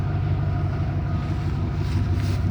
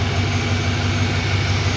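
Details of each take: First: Ford F-150 $500 farm-find pickup, idling just after start; steady low rumble with a faint regular puffing that fits an exhaust leak, smoke seen escaping. Exhaust leak at idle. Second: Farm-find Ford F-150 bought for $500, smog pump deleted, exhaust leak noted, coolant low: deep, even V8 burble at a steady idle with smooth, regular pulses and no knocks or misses; the engine sounds healthy.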